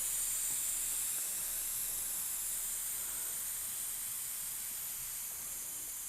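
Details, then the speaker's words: eBike inner tube being deflated before tire and tube replacement by pressing the Schrader valve core with the cap off: continuous thin hiss tapering off as the tire empties, normal deflation. "take the cap off your valve if you have a schrader valve this is really easy scrub whatever just poke it in let that air out"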